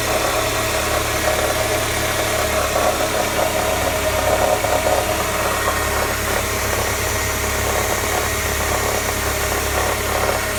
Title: MB CLK 200 Strange noise cold start